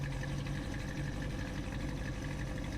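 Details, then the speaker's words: 1968 Ford Mustang GT coupe V8 during a pre-purchase inspection, just after startup with a puff of smoke: steady, even low burble at idle with no skips or misfires. "Let it idle for a little bit. I'm not hearing any misfires."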